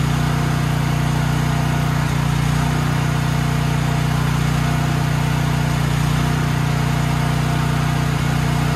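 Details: Troy-Bilt XP 7000-watt generator with Briggs & Stratton 21 hp 420cc engine, stored outdoors, full fuel, main breaker on: steady, even low drone at constant speed, no misses or knocks; runs smoothly, though output later failed from a bad AVR.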